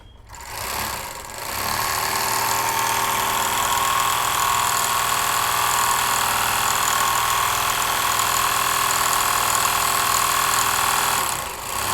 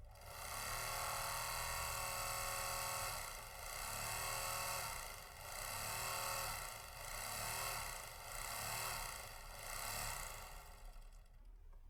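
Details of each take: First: Overlock sewing machine running before missing spare parts are fitted: fast steady clatter with loud high whirr throughout; excessive running noise blamed on missing parts. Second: Overlock machine running after its loose part was centred and the screw tightened, with the part called chapiya fitted: an even, low hum with a soft regular pulse and no rattle or knocking. Running normally and quietly.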